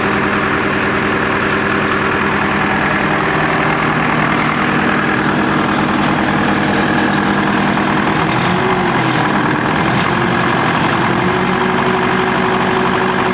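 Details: SOM 30 B diesel engine that runs smoothly but smokes heavily, owner unsure of the cause: steady idle with a sharp, rapid clatter riding over the whole run; engine knocking, cause not identified.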